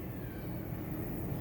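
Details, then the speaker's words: Volare 4x4 diesel bus on a ramp, heard from underneath: a loud, raw rumble from an exhaust leak where the exhaust pipe has cracked at the exhaust-brake butterfly. "tá pessoal é freio motor e Aqui é onde é o problema aonde rachou por isso que tá dando barulhão"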